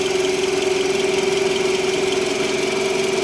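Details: Toyota RAV4 (XA30), 70,000 km, idling: a steady mid-pitched hum that rises with rpm, started after a car alarm was installed and stops when the alternator control plug is unplugged; the diode bridge was found failed and replaced.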